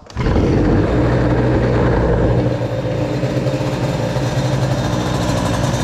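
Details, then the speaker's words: 2Fast 70 moped two-stroke with a BOOST crankcase and a brand-new cylinder, run in cold with the idle raised: at steady high revs it sounds thin and buzzy without rich four-stroking, so it's slightly lean. "Elle est un peu pauvre On va remettre un petit coup de gazon."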